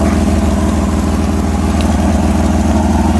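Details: 4A-FE swapped 4WD Toyota Tercel wagon test-fired after a new timing belt: steady even low idle with smooth regular pulse, no knocks or ticks; normal idle.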